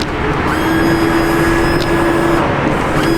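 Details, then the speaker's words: 2008 Ford Crown Victoria P71, windshield washer pump just replaced: a thin steady whir comes and goes over the idling car as the new pump runs, but no fluid sprays because the hose came partly off at the bottom and leaked. "cuz there's no fluid. Before we definitely didn't hear the pump run. So, it's definitely running and working. But why are you >> not getting fluid? >> My face again. So, turns out the hose came off a little bit and started leaking at the bottom, which is great cuz I lost some of her washer fluid."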